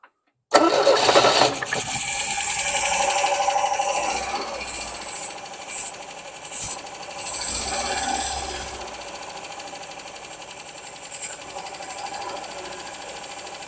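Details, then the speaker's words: Used 1967 MGB engine just installed in 1971 MGB GT, distributor drive gear moved one tooth, carbs on rough baseline tune: fresh start into lumpy, uneven idle; not running on all four cylinders, fuel to float bowls and spark plugs to be checked. "all right doesn't sound like it's running quite on all four cylinders so I have to check make sure we're getting fuel and both um float bowls first"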